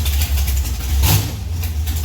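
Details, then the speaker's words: 1971 Plymouth Duster racecar, 528 big-block Mopar on alcohol, Powerglide, in garage after sitting 3 years: deep lumpy idle with steady low rumble and even firing, no knocks or ticks; runs good. "yeah if you've never sat in a car it runs on alcohol with the doors off in a garage Jesus yeah he just ran outside no no if you see if you want sticking around for that sounds good runs good"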